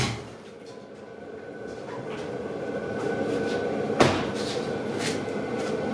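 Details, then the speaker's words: Salvage-auction Jeep Cherokee after new fuel filter, regulator, fuel line and NGK plugs: lumpy, uneven idle with a sharp clack partway through; running really rich, cause unknown, another crank sensor suspected. "Now, I do know that when we did the compression test, we pulled these plugs out, and it's running really rich."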